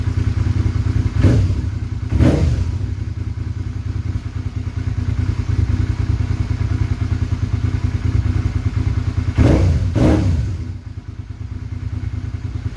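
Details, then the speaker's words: Motorcycle after failed fuel pump replaced with new high-performance pump, fully reassembled: even idle thump about three beats a second, two quick throttle blips rising and settling cleanly; runs good. "so one hand I'll fire it up runs good"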